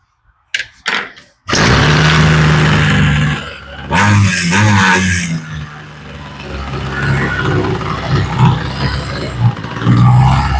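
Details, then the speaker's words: Homelite string trimmer, new replacement carburetor after idle and high/low mixture screw adjustment: a few pulls, catches, idles evenly and picks up cleanly without bogging; normal running, mixture sounds right. "Okay, the idle sounds like it's in a good place."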